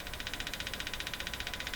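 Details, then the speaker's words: Arvin 444A four-tube steel-case radio on the bench with a 455 kHz signal-generator signal injected: rapid, even machine-gun buzz in the upper range, about a dozen pulses a second. Pulsing interference, suspected to come from outside the radio. "and I'm pretty sure that's interference coming from outside the radio"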